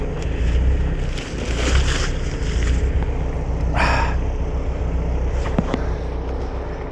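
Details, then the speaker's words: Boat engine on a mooring, run for an hour to charge the batteries, recorded outdoors with wind: the idle swells and sags about once a second. Engine hunting because it ran out of fuel. "you hear the not of the the no of the engine hunting up and down that's because it's run out of fuel now that's okay cuz that's solvable"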